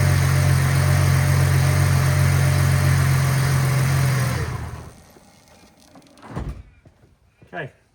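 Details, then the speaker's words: Ford AU Falcon, harmonic balancer just hammered roughly back into position, test run to see if it runs true: smooth even idle for a few seconds, no wobble or rubbing, then switches off cleanly; normal idle. "I'm going to start the car up, see how true it runs on everything."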